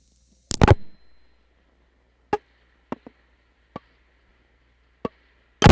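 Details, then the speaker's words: Panel telephone switch, intra-office call: faint steady ringback tone under a few sharp spaced relay clunks as sequence switch moves into position fourteen, Machine Ringing, after waiting for ring cycle; normal stepping. "so we'll now pause, wait for the cycle to complete, and move into position fourteen for Machine Ringing."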